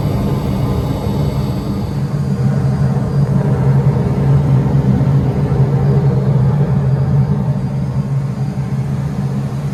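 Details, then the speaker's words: Propane-fired rooftop HVAC unit with VFD at self-storage facility, turned on in heating mode during no-heat call: deep steady rumble with even fan drone, no knocks or squeals; unit heating normally. "Heating now, I know that. So all those 3 units there, those things are cooking nice."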